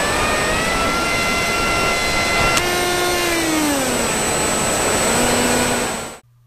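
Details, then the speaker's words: FPV MiniRaceWing on 3s in flight: a sharp crack cuts the steady motor whine, then a lower, changed motor tone; something may have struck the prop or broken, slightly more vibration, power and control kept, brought down. "me and Neil both heard a noise it sounded like something had struck a prop or something had broken and we could hear the difference in the way the motor sounded"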